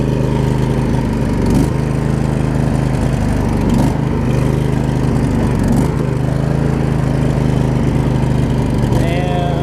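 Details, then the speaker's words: Craftsman riding mower with a Briggs & Stratton V-twin, after fixing the broken transmission shift hub: steady, even engine drone that holds speed without misses or surging. Normal running. "you can hear the motor spooned out after it got running we know that works"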